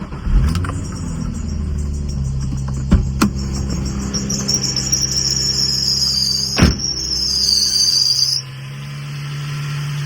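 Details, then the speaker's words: Nissan 350Z VQ35 engine at idle, before repair: a high, wavering squeal from the serpentine belt, worse than that morning; replacing the belt and tension pulley made the noise go away. "And now it's not making as much noise, but the serpentine is making a lot more than it did this morning."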